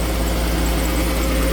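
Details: 2013 Jeep Grand Cherokee 3.6 V6 after oil pressure switch replacement with upper and lower intake refitted: steady, even low rumble with no knocks, ticks or misses; normal idle.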